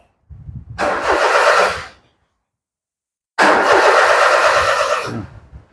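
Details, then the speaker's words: Perodua Viva 850 (ED engine) that died suddenly: two one-second starter cranking bursts, never catches, no logo on the display. A blown fuse is suspected, and the spare fuse swapped in may be blown too. "Jangan-jangan fuse tu pun putus. Itu logo ndak keluar."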